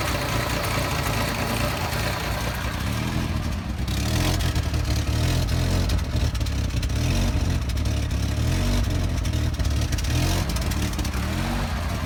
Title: Fj60 rough idle